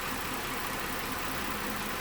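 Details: 2012 Mazda 6 3.7 L cooling fan after fan module replacement, engine running about 4–5 minutes: steady airy whoosh holding one speed, no surging to high speed; previously ran high and erratic even when cold, fan module fixed it.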